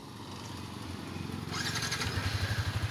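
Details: Six-month-old Yamaha Sniper 155 that had developed a rattling engine noise, just after a new stock cam chain tensioner was fitted: the engine catches and settles into an even, steady idle with no rattle or ticking.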